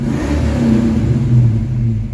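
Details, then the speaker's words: Project Mustang with positive cable and solenoid scalding hot: finally started but lumpy, stumbling and surging with a horrible miss, backfiring like on a rev limiter; failing ignition coil misfire. "I have finally got it started, but I have a horrible miss. It is backfiring like it's on a rev limit."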